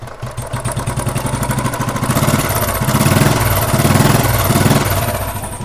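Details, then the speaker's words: 2009 Royal Enfield Thunderbird 350 after head work (sticking valves) and new piston rings fixed the noisy top end; even single-cylinder thump with no tappet clatter, healthy quiet idle. "ये देखिए sir की आवाज मैंने बंद कर दी है और अब देखिए एकदम ही ओके रिपोर्ट"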